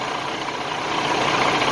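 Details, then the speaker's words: 2017 semi truck with a DD15 diesel at idle: heavy steady idle with a light fast taka-da tapping from the engine top end, source not pinned down; possibly from sitting a while, cause unconfirmed. "This one has a noise somewhere over here. That noise, taka-da, taka-da. That doesn't sound normal."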